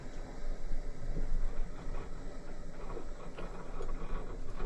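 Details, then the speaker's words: Sunfizz 12V 60 L/h boat watermaker, valve switched to rinse: the boat's fresh-water pressure pump starts with a low steady hum, no surges or rattles, to flush the desalinator. Normal pump operation. "là c'est l'eau qui, voilà, on entend se mettre en route. C'est l'eau douce qui vient directement laver le dessal."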